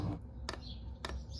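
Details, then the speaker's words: Fuel dosing pump of a 5kW Chinese diesel heater in an underslung stainless box under a Mercedes Vario minibus, with upgraded nylon fuel line, running at six degrees: soft even ticks about twice a second over low hum, quieter than the heater. Normal pump ticking. "here we've got the pump running let's have a listen yeah that's fairly quiet a lot quieter than the heater itself"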